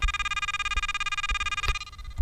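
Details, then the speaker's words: Pirate Pro metal detector with sensitivity cranked to seven: fast even pulsing threshold tone with steady high buzz and occasional low thumps; threshold pulsing from high sensitivity. "all right so that pretty much confirms my suspicions that the pulsing sound we're hearing is in fact the threshold"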